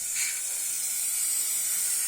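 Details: Engine with oxygen sensor warning light from a bad air-fuel mixture: with throttle body covered by hand and slight air pushed into the intake, a steady sharp high hiss of air escaping from an intake leak.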